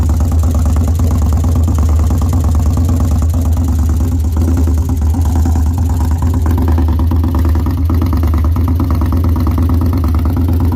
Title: 2013 victory highball engine knock.